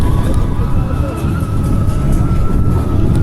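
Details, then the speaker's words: Amusement-park roller coaster car passing: a thin, steady metallic whine rides over the heavy rolling rumble, on the right-hand car, present since that morning; cause unknown. "Et le bruit il est là depuis ce matin donc je sais pas. Il y a un peu d'effet métallique sur ce wagon droit mais c'est un peu."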